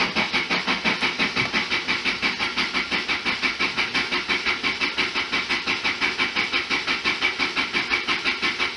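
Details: 1991 Lotus Elan in neutral during cooling system repair: even starter cranking about three beats a second, never firing; cranks but won't start; owner suspects lightly stuck fuel injectors after a week sitting.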